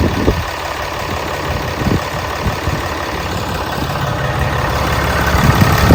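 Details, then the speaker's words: 2014 Ram 2500 6.7 Cummins diesel, first start after valve adjustment per the service manual: steady low diesel clatter at idle, even rhythm with no stray knocks or ticks; normal smooth idle. "turn right along just here in the sound you wouldn't even know what's running"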